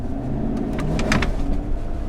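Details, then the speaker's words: Towing a race trailer with a new Chevrolet Silverado 1500 LTZ in tow/haul mode: sharp metallic clicks and rattles over road rumble, clunking blamed on an unsuitable hitch. "I don't like this hitch. You hear that? Oh no, that thing is going back today. That is a horrible hitch."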